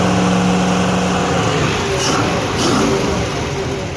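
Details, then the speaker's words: 5.7 engine, cold, after the 5-volt reference wire was repaired with butt connectors to cure a no-start, good oil pressure; revs rise and fall cleanly with an even exhaust note, no misfire, knock or hesitation. "Runs good to me."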